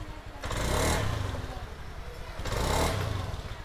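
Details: Honda Scoopy scooter that stumbled on initial throttle despite good fuel pressure (40.3 psi), injector, air filter and reset; after replacing the ignition coil, two quick throttle blips climb cleanly and drop back to steady idle with no stumble or popping.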